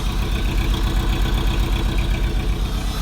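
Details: Toyota MR2 with K-series swap, RSX header, stock MR2 exhaust, cold start after long sit with Ktuned throttle body returned: lumpy, uneven idle with irregular low thumps and stumbles; owner suspects the throttle body, unconfirmed; rough idle.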